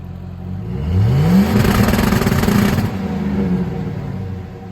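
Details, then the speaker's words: Two-step rev limiter on an MSD 2-step module fitted to a lowered 2007 Chevrolet Silverado Classic (cateye), set at 2500 RPM, sounding better than at 1500 RPM: revs sweep up then hang with a rapid choppy stutter as the limiter cuts in; 3500 RPM planned next. "okay so that definitely sounded way better than 1500 RPM twostep did but everybody says that the sweet spot is around 3,500 RPM so that's what's next"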